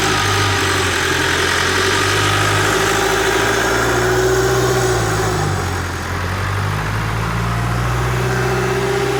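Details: GM S10 2018, rebuilt Duramax 2.8 16v turbo diesel, after final assembly: steady idle at an even beat with a faint whistle, no knocks or misses; runs smooth and healthy.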